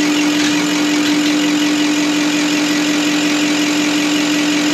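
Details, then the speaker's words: Deutz V8 diesel injection pump from the MAN Kat truck, which could only reach 50 km/h, run on a test bench: steady loud whirring with a fixed clear hum and even hiss, no knocks or surges, sounds like a V8 engine. "on dirait vraiment un moteur v8 qui tourne là. Je ne pensais vraiment pas que ça faisait un bruit de moteur, on croirait un moteur."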